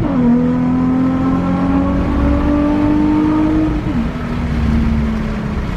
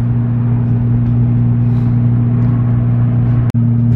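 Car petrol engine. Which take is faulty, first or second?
second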